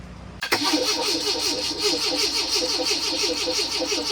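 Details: 1981 Fiat X1/9 after EFI-to-dual-Weber carburetor conversion, long disassembled, started via ignition override, fuel pump running with pressure in the hose: starter spins the engine with an even rhythmic churn for several seconds, never catches; cranks, no start.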